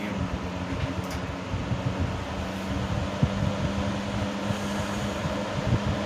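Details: 1970s 16-inch Toastmaster box fan with its original bent blade set, on medium speed: steady drone with loose irregular ticks and buzzes as the grill vibrates badly and rattles; fan blade imbalance causing grill rattle.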